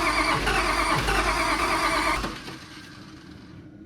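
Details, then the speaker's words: Allis Chalmers D17 Series One tractor after fuel pump install and starter repair: steady cranking that never catches, with ether tried; owner suspects low compression. Cranks but will not start. "Is it hitting on the ether? I don't know. It ain't heating on. Huh? It actually just got low compression. Crank it again."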